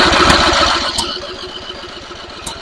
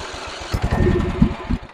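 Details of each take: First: Simplicity rear-engine mower abandoned 32 years, revival start with added choke: catches loudly, then a steady chugging beat around four per second holding several seconds before winding down; starts and runs normally. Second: Antique Simplicity rear-engine riding mower, abandoned 32 years, first start attempt with fuel primed into the carburetor: about a second of ragged cranking with a few uneven firing chugs, then it dies; owner suspects a choke issue.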